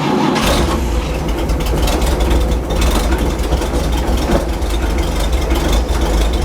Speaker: oil pressure's coming up should go up to almost 60 pounds maybe about 55. this uh engine's starting to smooth out